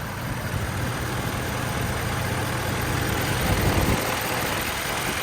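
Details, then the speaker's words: 2012 Ford F-550 6.7 Power Stroke diesel mechanics crane truck, 121k miles, idling with PTO off: steady even idle with low throb and light PTO chatter underneath that goes away when PTO engages; minimal blow-by, healthy. "you'll hear the typical six seven PTO chatter coming from underneath the truck that'll go away when I kick the PTO on"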